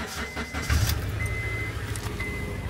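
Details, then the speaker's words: Honda CL9 (Euro) petrol engine idling, heard from the exhaust: a lumpy, uneven beat; the scan tool reports a cylinder 3 misfire and an exhaust leak sound was suspected; the owner plans to replace the spark plugs (BKR7E) and hopes the coil packs are fine. "when I was driving the car it sounded a bit like the Chaser where it was yeah misfiring and has some exhaust leak sound"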